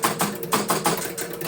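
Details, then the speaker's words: 1974 Williams Triple Action pinball, replay reset after scrubbing: rapid run of sharp relay clicks, about six per second, then stops; ball count wrongly went to 10, erratic reset, cause still unknown (coin relay circuit suspected). "Yeah, that sucks. Still went to 10. Let's try a few times here. That time it was right. Yeah, it's still inconsistently doing it."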